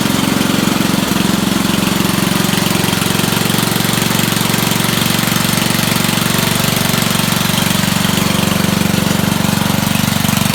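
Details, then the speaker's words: Dump-find Rugg carpet-cut tractor small engine after cleaning a very dirty carburetor and adding a fuel filter; choked, started on 3 pulls. Loud steady single-cylinder putter at constant speed, raspy from ruined muffler, no misses or surging; normal running. "I gave it choke, 3 pulls, started right up. Not running bad, considering how bad that carburetor was."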